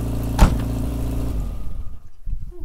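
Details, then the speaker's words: Ford Escort on a mountain drive: the engine revs briefly, then sags and dies within a second or two of lifting off the throttle and won't hold idle. It also loses power in first gear. Cause suspected, not confirmed. "se ugasi čim pustim gas, nešto počne ga zjebava ler gas."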